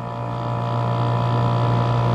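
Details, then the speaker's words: RV rooftop air conditioner with a failed start capacitor, fan spun clockwise by hand to jump-start it: steady low electrical hum that swells slightly then holds as the fan runs; temporary fix until the new capacitor arrives. "she's spinning she's on and Leslie's got it turned down to a very cool temperature so so she'll be running all day long the downfall of it is is I gotta get up here every day and spin this thing to get her started"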